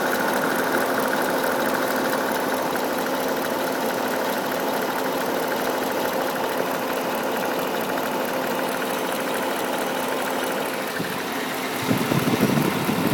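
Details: 2008 Pontiac G8 GT at idle, recorded with the hood open: light, fast, somewhat uneven ticking over engine hum; owner suspects the known lifter tick.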